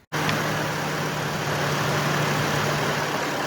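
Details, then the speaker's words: 2003 Chevy Trailblazer after ignition coil replacement: fires straight away and holds a smooth steady low hum with no stumble or skipped beats; normal idle, the misfire was confirmed as the coil. "wow that it's definitely a smoother running engine right now I I can physically see and not sputtering and I can hear it it's not misfiring at all"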